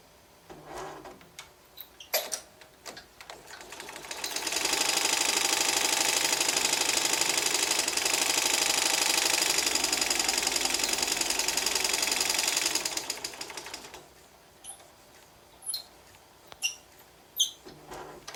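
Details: Embroidery machine stitching with a harsh, high rasping grind under the fast stitch rhythm from the hook and shaft, causing the axes to shift from 100°.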